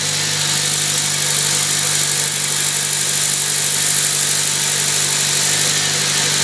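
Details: 2008 Honda Civic Si at idle: sudden very loud fast knock about four per second over a hissy top end; serious internal engine knock, cause unknown.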